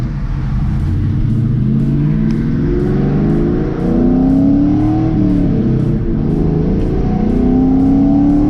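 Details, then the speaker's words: 1998-04 Mustang GT V8, after P0357 fix and about 15 miles with no code return, third pull: strong clean rising revs, no stutter, gargling, popping or lack of power; running healthy. "crispy man Cris I guess I can go the four crispy no stutting no gargling no over popping No Lack of power"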